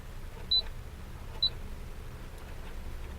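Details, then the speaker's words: 1987 Oldsmobile Toronado, engine running: faulty climate control panel stays unlit and gives two short, high intermittent beeps over a quiet engine hum; front defrost and heat control don't work; panel is to be replaced. "now sometimes this will work like see right now you can hear that little beeping"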